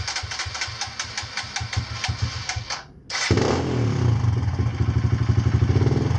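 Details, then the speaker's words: Kawasaki KLX140 with newly installed KX65 carb, first test run: uneven low idle picks up into a fuller, faster run when the choke is pulled; owner suspects not enough fuel (lean). Engine revs up with choke on. "okay so when I pull the choke out it revs so that means that means we're getting we're not getting enough fuel I think"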